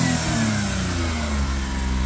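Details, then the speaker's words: Suzuki Carry kei truck, low-mileage example with original exhaust, starts in a split second: smooth, steady rev with even firing and no misses, knocks or rattles. It sounds like a healthy motor with no smoke. "that's the sound of a healthy motor no smoke nothing"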